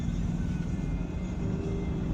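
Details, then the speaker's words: Land Rover Defender 90 L663 P400 at 1,430 miles: rough, stumbling drone under acceleration, as if missing a cylinder, with the engine light flashing. A failed coil pack is suspected after an earlier failure at 800 miles. "No, it's not right. It's not right. It's dropped a cylinder or something. Maybe another coil pack's gone."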